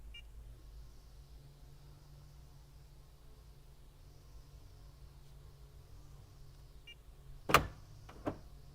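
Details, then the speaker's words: Honda/Acura door lock actuator test commanded by a Launch Creader Elite 2.0 scan tool, door shut. Two sharp actuator clunks as all doors lock. Door locks working normally. "I just locked all the doors. And I can unlock. And that was just a driver's door that I unlocked. And now I'm going to unlock all the doors."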